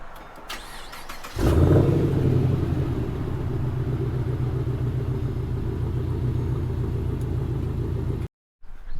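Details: 2011 Chevrolet Caprice ex-police V8 cranks, catches and settles into a low, uneven idle with a recurring stumble; misfire codes on cylinders 4 and 6, broken cylinder 6 coil pack; misfires persisted after replacing coil pack, plugs and wires.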